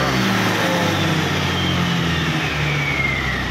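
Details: Yamaha Aerox 155 v1 that would not start because of a discharged battery and suspected loose socket contacts: the engine pulls up smoothly, with an even pitch rising under throttle; it runs and revs normally with no misfire or knock.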